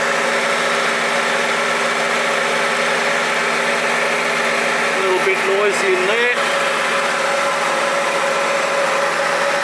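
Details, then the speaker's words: 2009 Holden Barina 1.6 L, U440E automatic, front wheel spinning, noise on left under load and coasting: steady drone with grumbly rumble from a noisy wheel bearing; CV joint/shaft also seen wobbling, possibly worn or bent. "oh that wheel bearing is pretty noisy"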